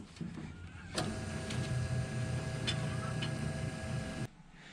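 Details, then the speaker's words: Electric wire stripper stripping thick, medium and thin wire: smooth, even motor whir with steady low hum, no catching or rattles; running normally. "let's see how it does against thick medium and thin wire nice and smooth and quiet all right that's one wire"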